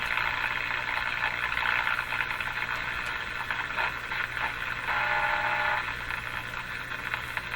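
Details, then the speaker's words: 1935 Rogers Model 7R622 tube radio during alignment, tuned to the low shortwave band. Steady hiss and crackle of band static as the dial sweeps, with no stations coming through; the set is alive and receiving. "well it certainly sounds like it's working tuning in junk"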